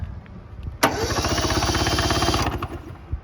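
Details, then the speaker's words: 1970 Subaru Sambar pickup, off the road 40 years, cranked over via a crusty starter; steady, even chug of about three to four beats a second, both cylinders pulling the finger down, normal cranking with good compression. "Let's check out these cylinders, see if we're getting compression. Oh yeah, it's sucking my finger down. Yeah, both of them have compression."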